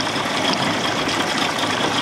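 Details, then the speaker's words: 1979 Evinrude 55 hp outboard in neutral holds a loud, raspy, high-revving scream far above normal idle; idle surge persists after a reed valve check and the original carburetor was refitted; owner suspects the float needle is not seating and is drawing in fuel. "i can tell by that noise float needle not seating sucking gas"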